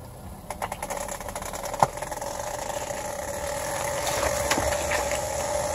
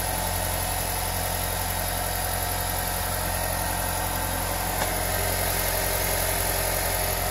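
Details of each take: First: Figured it out! its the CV boots that are making a rubbing/screeching noise on my 2017 Honda civic. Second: 2017 Honda Civic after cleaning and lubing the CV boots with dry Teflon lube: steady engine and driveline hum, front rubbing/screeching noise gone.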